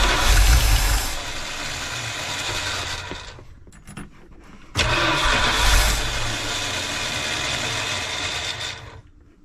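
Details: 1971 Dodge Sportsman Class C motorhome, 360 V8 with freshly rebuilt Holley two-barrel carb, started after a sketchy fusible link was noted: it fires and runs, fades out, then restarts and holds a steady running note; starting and running normally.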